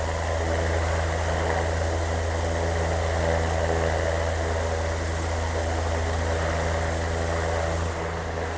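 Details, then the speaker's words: 80 W BLDC air cooler fan motor drawing 84 W on mains, at high speed around 1700-1800 RPM: a steady, even hum with a low drone and soft air rush, no rattles or rubbing, running smoothly. "तकरीबन ये 1700-1800 RPM ले रही है इस time, high speed के ऊपर। आप स्पीड से अंदाज़ा लगा सकते हैं कि ये कितने RPM इसके हैं इस टाइम।"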